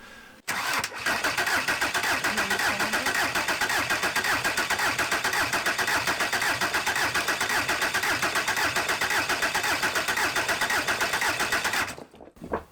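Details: Junkyard VW Caddy 1.9 SDI diesel, about 190,000 km, injector lines loosened to bleed; steady starter churning about two beats a second for eleven seconds without catching, air in the fuel lines being bled.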